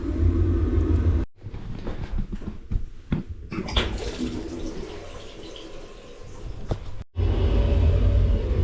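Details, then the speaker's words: 2015 boiler, about 11 years old, showing E125 poor circulation then E131 codes, heating and hot water not working; deep steady rumbling roar while heating, unhealthy main heat exchanger noise, suspected blockage, with pressure building constantly, plate heat exchanger suspected. "Just doesn't sound healthy on the main heat exchanger. I think there's a blockage in it or something along them lines."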